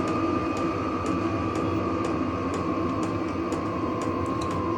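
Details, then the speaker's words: Vevor diesel heater run off an Anker Solix C300 battery bank, turned down to its lowest heat setting by remote after high: steady fan hum, soft fuel pump tick about twice a second, no stumbling; running normally. "now on its lowest heat setting, it's"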